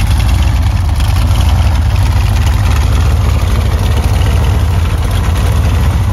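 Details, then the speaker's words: Freshly rebuilt 355 Chevy small-block V8 (Summit 1105 cam, ProMaxx heads, Weiand intake, roller rockers, forged pistons) idling on slip-on mufflers that leak slightly; deep even rumble with steady lope, no knocks or ticks; normal idle. "And keep in mind, I just use like slip-on mufflers, so I can take these mufflers off in a couple of seconds. So that they do leak a little bit."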